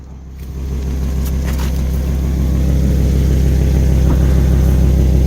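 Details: Volvo V70 XC petrol engine idling with a rhythmic puffing chuff over a deep rumble from exhaust leaks.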